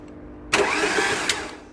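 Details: 2009 Ford Mondeo 1.8 TDCi Duratorq turbodiesel, earlier misdiagnosed as electrical/PCM, starter spun by touching tampered starter relay; one-second fast smooth whirr with no compression beat, engine spins too freely; broken timing drive.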